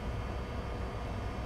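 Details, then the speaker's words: Second-hand gaming PC with RX 580: steady low rushing roar, fan pinned at full speed. Poor heatsink contact suspected, possibly plastic film left on the cooler. "That CPU is hauling. That fan is going crazy."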